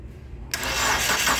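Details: Dodge Neon that arrived running but would not start after its engine oil pressure switch was replaced. Quiet, then a sudden catch half a second in as the starter engages and the engine fires normally into a steady, even run.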